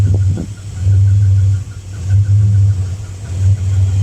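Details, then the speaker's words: Chevrolet Impala engine idling after a tune-up: a fast, regular high chirp keeps time with the engine over a throbbing low rumble; the owner first thought it was a pulley, but a mechanic says a rod in the motor is going bad. "that's the motor when the rods is going bad i thought it was a pulley everybody told me might be a pulley"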